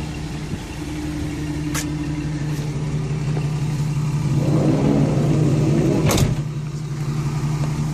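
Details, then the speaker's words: Chevrolet Express van 4.3L V6 after replacing all lifters to fix P0300 and cylinder 5/6 misfires: steady low hum with even beat, no ticking or stumbling, no check engine light; bad lifter was the cause. "finally works like you used thank God and there's no check engine"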